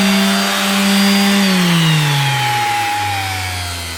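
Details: Makita BO5031 5-inch Velcro sander that wouldn't switch on, after replacing the worn-out brushes: clean, steady motor whine, then pitch falls smoothly as it coasts down with no grinding or rattle; runs properly.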